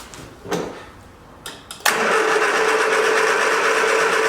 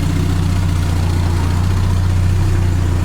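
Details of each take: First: 1979 Triumph Spitfire with starting fluid sprayed at the carb: steady cranking about four beats a second that never fires. No fuel came out with the fuel line off; owner thinks the pump isn't pumping and will probably replace it. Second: 1979 Triumph Spitfire, running after reconnecting the fuel system: fires right up and settles into a quiet, smooth, even idle with a steady low hum and no knocks or misses. Normal idle.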